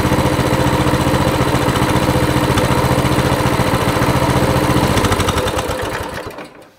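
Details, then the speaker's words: Coleman CT200 mini bike, small single-cylinder engine with non-adjustable carburetor, after idle adjustment to 1750 rpm; quick, even putter holding a steady idle, then switched off and runs down, healthy idle. "there you go that is how you adjust the idle"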